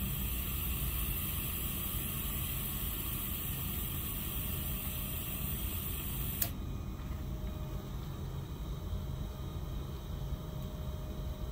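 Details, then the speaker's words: Walk-in freezer evaporator fans: steady airy fan roar continues unchanged after refrigeration shuts off; fans stay on high instead of dropping to low speed when the temperature control satisfies, then unit seems to enter defrost. "these fans are not slowing down to low speed so you heard the refrigeration shut off up there it goes"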